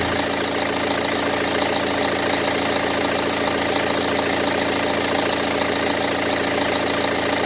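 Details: 2010 BMW 118d E87, N47 diesel, 178,000 km, idling: a busy, fairly regular clatter about two ticks a second. Teardown showed the timing chain train fine; the rattle's source remains unknown.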